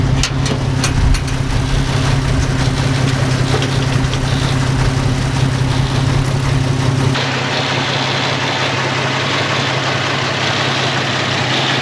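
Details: 1946 Studebaker M5 pickup with AMC 258, cold start on a 70-degree spring day: uneven, loping cold idle with occasional stumbles, settling to a smoother drone; the owner blames a cold-blooded carburetor.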